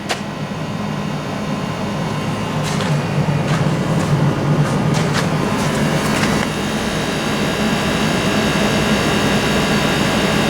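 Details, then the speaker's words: Hyundai Kona Electric warming up the cabin, heat pump and fans located in the front: steady loud fan rush with even low hum, constant while heating; normal heat pump and fan operation. "So you can hear what noise the heat pump and the fans make."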